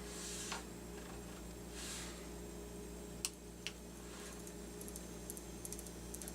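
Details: 2017 Lemax Mad Pumpkin Patch: low motor hum with sharp irregular clicks from the small drive gear train between motor pulley and gear slipping on a loose driveshaft; clicking repaired after teardown and adjustment.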